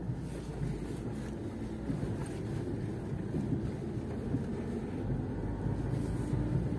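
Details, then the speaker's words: New Lada Niva Travel driven at low speed after tightening a loose front suspension nut: low steady road and engine rumble with no creaks or squeaks; suspension quiet after fix. "как видите никаких скрипов вы не слышите потому что все подтянута все хорошо что паниковать не надо"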